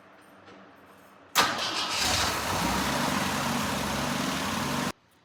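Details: Jeep J10 engine run after carburetor rebuild (choke not working) and gas tank reinstall: catches at once and settles into a steady, even idle with no knocks or misses; healthy running.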